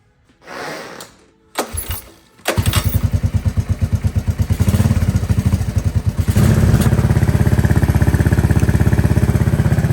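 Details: 1984 Honda ATC 200S three-wheeler after rebuild, first start with new carburetor and no air filter fitted: after a couple of cranking attempts it fires and settles into a steady, even single-cylinder fast idle, running cleanly — normal idle.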